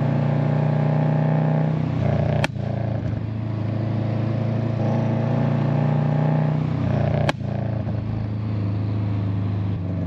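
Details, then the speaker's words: 2008 Subaru Legacy GT with Cobb downpipe and SPT catback, after fitting a GFB Respons hybrid blow-off valve: steady deep exhaust drone broken by two sharp cracks about five seconds apart as revs drop, loud overrun pops. "ay, so I don't know if you guys heard that, but there were some really, really, really loud pops. I mean, at least to me, they're super loud."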